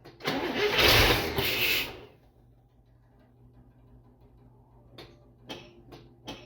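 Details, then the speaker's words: International Scout, first run in about 13 years after new spark plug wires, started on starter fluid: brief cranking and firing, then drops to near silence with clicks as starter kicks out; owner suspects loose or melted starter wire. "Whoop. Well, the starter's kicking out. Probably a loose wire down here."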